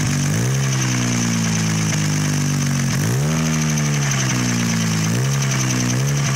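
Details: 1988 Mazda RX-7 with rotary engine swap, first running after the swap: even idle, described as idling high, with three quick throttle blips rising cleanly and settling back, no misses or knocks; the engine runs healthy.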